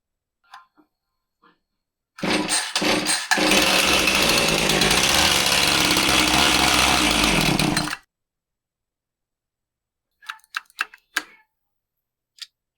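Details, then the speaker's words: Husqvarna 450 chainsaw, customer complaint of bogging: runs crisp at high revs for about six seconds on priming fuel, then peters out to silence; fuel pump not delivering fuel, traced to a crankcase air leak. "Well, again, it acts like uh priming it up brings fuel to the carb and it'll run on that fuel, but the fuel pump isn't bringing any more fuel up to the carb. That's why it runs good for a second and then just peters out."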